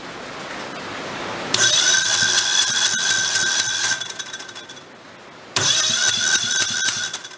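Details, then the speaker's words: Used Kohler Command engine salvaged from blown engines: two bursts of fast, light, uneven cranking with starter whine and no firing; weak compression, suspected lifter holding a valve open. "let's try it again does not feel like much compression"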